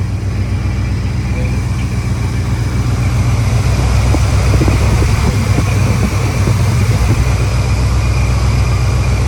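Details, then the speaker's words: Chevrolet Monte Carlo SS V8 with Quadrajet carburetor, first start after over 10 years sitting, idling without throttle: loud deep idle with a fast puffing tick about four per second. The exhaust is leaking, probably from the mufflers. "you hear exhaust is leaking it looks like it's probably coming out of the mufflers"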